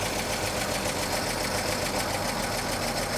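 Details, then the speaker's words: 1941 Chevrolet coupe straight six, idle set a little high before carb adjustment: fast idle with an uneven, stumbling beat and occasional hiccup, a cylinder intermittently missing; owner suspects a sticky valve or excessive valve lash, not confirmed. "It's got a little hiccup in it. And I think uh I want to check the valve latch. It's a little rough. Might have a valve sticky or too much clearance or something like that."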